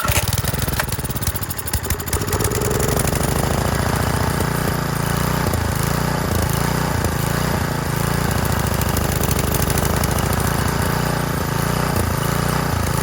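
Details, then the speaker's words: Roadside Garden Machines edger, 3.5 hp Briggs flathead, cold, on choke at full throttle, air filter cover missing: after a rough start and one stall it settles into a quick, even single-cylinder putter with no misses, a healthy idle. "look at that nice out even idols too that's crazy"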